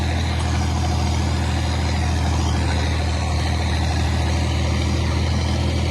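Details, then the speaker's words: John Deere 4020 tractor running while spreading in the field: deep, steady diesel beat with even firing, no knocks or rattles. Normal running. "oh the 4020 sounds pretty good too"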